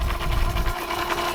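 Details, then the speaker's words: Boat generator oil change, warmed about 5 minutes, small electric oil extraction pump sucking oil out of the sump: hum with quick, uneven chatter as it draws oil through the line; normal pump operation. "Oh, I can hear it sucking. Can you hear that?"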